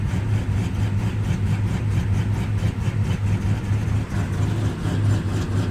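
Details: 53-year-old Plymouth Slant Six cold at about 12°F: low, uneven idle throb that wavers in strength. The cheap aftermarket choke unit keeps the choke stuck closed, so it runs rich.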